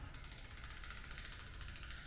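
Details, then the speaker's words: Juggernaut Ultra 1000 wheel with KT ratchet hub, which showed no wear or shavings at teardown: quiet, quick, even ratchet ticking while freewheeling, with no grinding or skipping. A healthy, solid freehub sound. "It's super strong. It's got a nicer sound."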